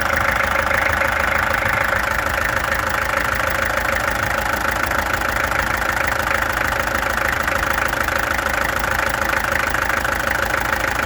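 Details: Peugeot XD2 diesel engine at steady idle with a clattery, slightly uneven beat around 200 a minute, like one cylinder stumbling; owner suspects a misfire, and the injectors were then removed, tested and adjusted. Cause unconfirmed.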